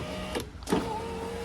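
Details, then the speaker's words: Peugeot 406 right front power window converted from module to relay control, switch held to operate: brief relay click, then steady, even motor whir with faint squeak as the glass lowers; normal power window operation. "Nah sekarang sudah pakai ini, jadi kalau kita gerakin ke atas, relay yang satu nyambung, ada suaranya ya, ke atas. Kalau ke bawah, satunya lagi nyambung, dia turun"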